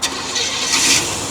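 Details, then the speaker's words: 1983 Cadillac that sat for 8 years, running premium 93 fuel: catches straight away and settles into a quiet, even idle like a sewing machine, no knocks or stumbles; normal start and idle. "oh okay it's a sewing machine homie want to go for a run sure get in"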